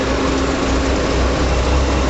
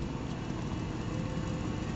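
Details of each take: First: Old Chevy truck running on propane after its regulator was rebuilt with a new kit, still running a little funny while being adjusted: loud low idle rumble with an uneven, lumpy beat underneath, a rough idle. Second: Old Chevy truck running on propane after the propane regulator was rebuilt with a new kit and adjusted: low, even rumble with steady rhythm, no misses or knocks; seems fixed, sounds like it used to.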